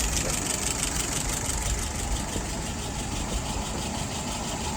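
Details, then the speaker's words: 48 flathead test engine with restored, adjusted WO carburettor, float set right, no drips: smooth steady idle about 660 rpm, fuel pressure about 2.75, vacuum 23, dwell about 42, even beat with no knocks or misses; running cleanly. "Idle RPM is about 660. Fuel pressure holding steady, about 2.75. Vacuum is at 23."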